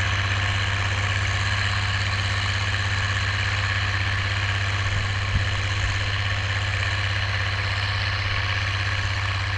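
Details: Oliver 1550 diesel tractor pulling a JD BW disk about 6–8 inches deep, running well once whatever was in the fuel system cleared: deep, even drone pulling steadily, no misses, surging or knocks under load.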